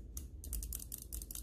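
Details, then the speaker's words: Cooler Master MM710 mouse after the post-travel and click-wobble fix: sharp, crisp clicks with no post travel, plus a slight rattle from the zip-tie heads added in the front. "no post travel super-crispy you can barely tell that the mod was done unless you get a flashlight and look in there"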